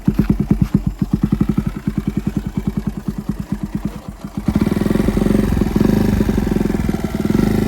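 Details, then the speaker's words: Single-cylinder motorcycle with newly refitted engine after a seizure, being run in gently: even, quick thumping at idle, then a short smooth blip, no knocks or rattles. Owner says the small problem is solved; normal healthy idle. "তোমালোকৰ বাইকৰ মই চাউণ্ডটো এবাৰ শুনাই দিছোঁ এতিয়া মই rest দিব নোৱাৰিম কেইদিনমান মোক লাহে লাহে চলাবলৈ দিছে পূৰা ঠিকে আছে"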